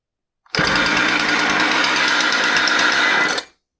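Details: Husqvarna 130 chainsaw revving hard with a loud harsh metallic rattle over its high buzz, run with clutch, drum, bar and chain removed; sounded the same, so not the clutch or drum bearing.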